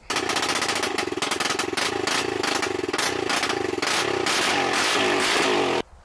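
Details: 2001 Honda 400EX quad, sitting over 10 years after its cam chain came off the crankshaft, now repaired with new parts. It runs with a crisp, even single-cylinder beat, and throttle blips rise and fall cleanly.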